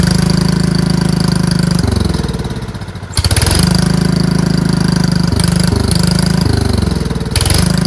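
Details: Riding mower with bagger fitted, jump-started from a pack after its battery read only 9 volts: steady low chugging run that dips with throttle changes around three and seven seconds and recovers cleanly; engine runs fine.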